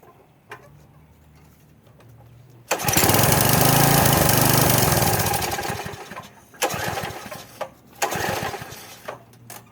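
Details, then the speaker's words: Troy-Bilt pressure washer small engine, first start after about 4 years sitting, only fresh gas added: coughs, catches briefly and surges, then dies away with weak sputters. Hard starting because the choke had been knocked off. "the choke had just got knocked off. Like a top. I just knocked the choke off, and excuse me, I forgot to check it before I tried to start it."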